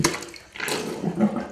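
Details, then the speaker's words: Sink drain after plunging: water rushes away quickly with an even gurgle, no slow bubbling or backing up; drain clear and flowing freely. "It doesn't make that noise, and you get a really big suction pullback. Really big."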